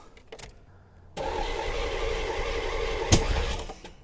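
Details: 1984 C4 Corvette from Copart, first key turn after a week of work including a water pump: the starter spins the engine at an even four turns a second for about 2.5 seconds, but it never fires; owner suspects distributor timing; crank no start.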